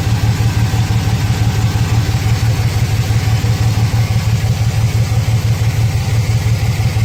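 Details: 2006 Chevrolet Silverado 4.3 V6 with P0305 and P0200 codes, runs rough with the check engine light blinking. Low idle lopes steadily about three times a second as a cylinder drops out. Suspected failed injector, open harness or bad ECM signal, unconfirmed.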